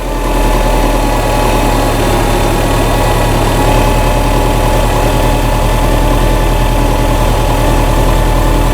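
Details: 2008 Subaru Legacy after new camshafts fixed cam sensor codes, misfires and stalling, driven over 100 miles with no check engine light; steady even idle with smooth low rumble, no misses, knocks or hunting, before a throttle snap: normal idle.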